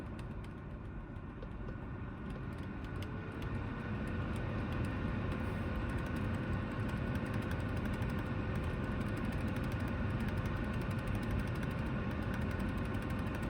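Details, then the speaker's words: BMW E36 after climate control module capacitor repair, engine running: steady whoosh of air with faint tone rising and holding, airflow modest, owner suspects clogged cabin air filter; blower works smoothly, normal. "yeah, there you go. Seems to be working."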